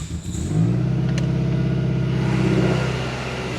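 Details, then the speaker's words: Toyota Camry four-cylinder with real oil, 155 PSI compression all cylinders, oil pressure just under 60 PSI: steady, even idle, loud exhaust drone, no knocking or ticking; healthy engine before the popcorn butter test. "As you can hear, other than the loud exhaust, the engine is nice and quiet, just under 60 PSI, so everything is looking mint."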